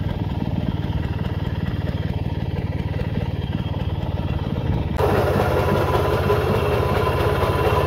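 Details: Restored 1940s Simar two-wheel tractor rotary tiller, single-cylinder engine: steady, evenly firing thump that takes up load smoothly without stumbling; starts easily and runs smooth and healthy.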